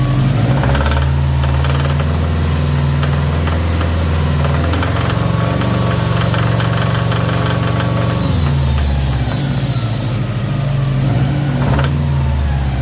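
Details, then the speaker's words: Subaru WRX STI EJ25 2.5L flat-four at idle and blipped during oil pressure test, about 55–60 psi at idle; heavy uneven knock following engine speed, suspected rod knock, not confirmed. "um you can hear that knock on that engine there was a really really bad"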